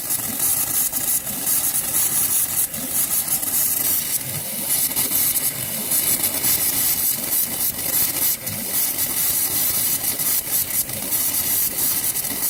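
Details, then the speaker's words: After a hot water tank replacement, a tap is opened upstairs to burp the lines: an irregular sputtering hiss of spitting water as trapped air purges, which is normal. "we got to go upstairs and turn on the valves, and it makes a loud noise, and we call it burping because it's basically burp, burp, burp. That's how it comes out."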